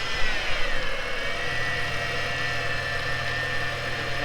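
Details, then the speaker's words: Ford Falcon XR6 turbo at idle: steady high constant-pitch whir; with pump nearly new refurbished, owner suspects worn idler pulley bearing, swapping idler to confirm. "So you can hear that whirring, and the pump is pretty much a brand new, I'm pretty sure it's a brand new refurbished item. So yeah, we're pretty sure it's this idler here."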